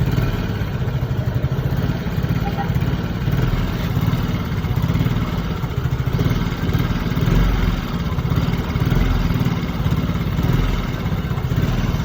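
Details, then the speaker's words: Yamaha Mio J scooter that often stalls, ISC previously repaired, earlier blamed on throttle body or ISC: idle swells and sags every second or so without throttle input; hunting idle from unmetered air leaking past a stretched intake hose. "Nah, sempat beberapa waktu itu diperbaiki ISC-nya buat, tapi lamsannya itu turun naik sendiri, bukan tidak berlangsang ataupun bukan besar ya, tapi lamsannya tidak stabil."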